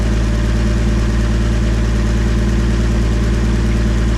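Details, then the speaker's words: 1962 AMC Rambler wagon engine, forgotten over 50 years, run after priming oil: steady even low idle, smooth unbroken rumble, no knocks or rattles, no smoke; normal idle. "oh my God are you kidding me listen to that thing holy moly that's incredible"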